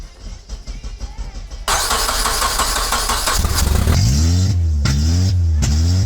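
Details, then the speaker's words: Budget K24-swapped Honda Civic started after repinning (not deleting) the immobilizer; earlier codes showed crank position faults. It catches after a short crank and runs on all 4 cylinders, but the idle hunts up and down unevenly. Owner suspects a sensor. "Sounds like it's on all 4 cylinders. Obviously, it's doing some sort of rough idle."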